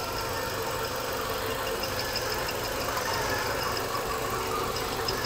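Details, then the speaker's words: Imported automatic Hyundai Tucson at idle: steady, even, smooth engine with no knocks or misses, mostly outside noise heard; normal idle. "Máy nổ rất êm luôn hầu như chỉ nghe tiếng ồn ào bên ngoài thôi còn con xe này máy nổ êm các bác nhá"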